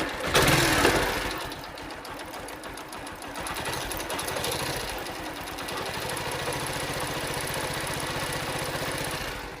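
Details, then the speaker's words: Used motorbike engine just started, heard close to the engine: uneven ticking clatter over a rough idle; abnormal engine noise; do not buy, since repair may cost 10,000–15,000. "இந்த மாதிரிலாம் engine sound வந்துச்சுன்னா நம்ம வாங்கக்கூடாது. ஏன்னா engine நமக்கு வேலை வச்சுச்சுன்னா இன்ஜினோட செலவே நமக்கு 10,000 to 15,000 வரைக்கும் கூட போகிறதுக்கு சான்ஸ் உண்டு."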